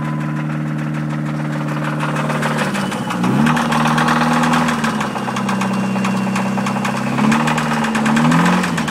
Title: Dodge Neon Rod Knock